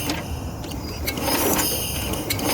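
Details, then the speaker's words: 1966 Simplicity Sovereign tractor, Briggs points engine, turned over by the starter with the plug in after a click was heard: uneven bursts about twice a second with a harsh clatter, something suspected in the cylinder; abnormal cranking noise. "Yeah, she sounds like there might be something in there."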